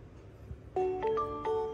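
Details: Second Xiaomi Mijia K Bluetooth karaoke microphone switched on: clean, bright few-note chime rising over a quiet room, the normal power-on tune before pairing.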